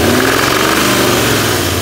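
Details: Petrol engine with timing chain at raised revs: fast dry knocking rattle over steady drone, only at certain rpm, not at idle; owner suspects timing chain, which on inspection appears new.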